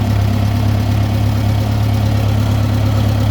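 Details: International IH 504/2504 backhoe tractor with new cap, plugs and wires and cleaned carburetor: deep, even idle with a steady low beat and no misses; runs smoothly at idle despite random stalling and power loss under load after 10–20 minutes.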